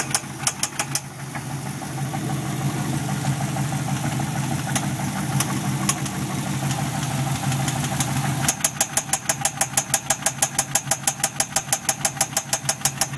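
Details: 6L V8 (L76) Thunder Ute at idle: sharp, evenly spaced knock at about three per second, crisper near the end; appeared the day after purchase, cause undetermined.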